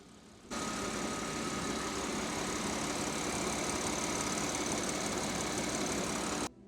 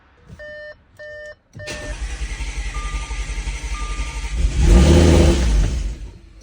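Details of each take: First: Audi S5 3.0 L supercharged engine after timing chain redo, valve covers smoking (believed burn-off), bad gas in tank; steady, even idle with constant hiss, no knocks or misses; normal idle. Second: Audi S5 3.0 L supercharged, rebuilt with new timing chain, first start after refilling 7.2 quarts oil: chimes, a few seconds of rhythmic cranking, brief catch and surge, then dies; starter and wiring work.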